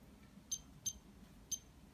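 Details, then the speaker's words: Cinestar setup 7 transmitter switched on before the aircraft battery is attached: three short, high-pitched unevenly spaced beeps in a quiet room warning there is no connection to the helicopter; no-link warning. "the controller transmitter is actually beeping at the moment that spits there is no connection with a helicopter books we have attached the battery yet"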